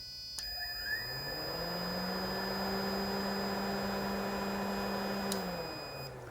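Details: 2009 Honda Civic cooling fan powered directly with a test tool: fan spins up to a smooth, even hum, holds steady, then winds down when cut; fan motor works normally.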